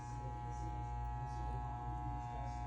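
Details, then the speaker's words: Moen GXP33C garbage disposer, stuck: steady electrical hum with no spin-up or grinding, motor jammed and cannot turn. "all right awesome all right guys so we got this uh mowing garbage disposer it's the GXP 33c and as you can hear it was stuck"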